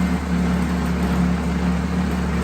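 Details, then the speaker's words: Carbureted Vespa scooter after 5–6 months of winter storage, warming on choke: low, steady single-cylinder putter settling, becoming more regular as idle drops, now safe to switch off; normal warm-up idle. "il commence à compenser, il commence à être un peu plus régulier. Voilà, là ça descend."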